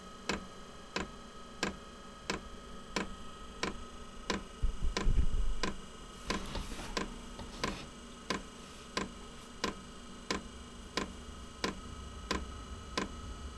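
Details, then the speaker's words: Inexpensive diesel heater in a small shed workshop at startup, glow plug on; crisp metallic ticks about every half second over faint hum; dosing pump ticking while priming, expected to quiet after initial startup. "there's the glow plug right you hear it ticking louder and from what I've seen that loud ticking goes away after it finishes this priming and uh initial startup"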